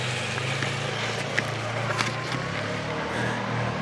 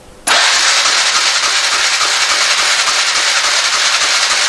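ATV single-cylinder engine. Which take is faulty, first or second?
second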